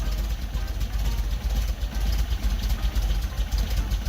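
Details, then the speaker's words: 1974.5 MG MGB after installing new 4 psi inline fuel pump: low lumpy idle stumbling and choking slightly; excess fuel pressure flooding the carbs, running rich; pressure regulator to be fitted. "car's choking a little all right guys so the new fuel pump is installed it definitely works uh the four psi was flooding my motor"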